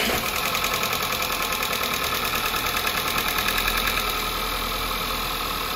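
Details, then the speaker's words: 2011 VW Polo MK5 1.2 TSI (CBZA), about 100,000 on the engine, first start after timing chain and crank sprocket replacement and oil top-up: fires immediately, even idle with injector ticking, no chain rattle; normal. "okay right away fire no issues running very smooth very nice"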